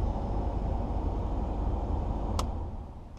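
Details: 1984/85 Mercedes 300SD diesel (W126), sat about six years, engine off: steady, even rushing roar from the heater blower motor on high, no ticking or scraping; blower runs fine on high, while low is only faint.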